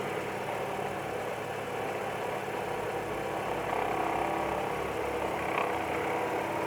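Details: Ford Zetec Rocam 1.6 engine at a steady idle: a faint, irregular knock about three to four a second that seems to be inside the block, but it comes from one of the drive pulleys on the left side of the engine, a worn idler pulley.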